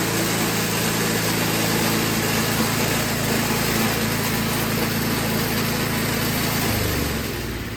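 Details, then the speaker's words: Toro 521 snowblower single-cylinder engine after carburetor adjustment, carburetor dripping some gas: steady, even speed with no misses or surging, load coming on near the end; normal running. "well I got that carburetor dialed in it does seem to be dripping gas that's okay"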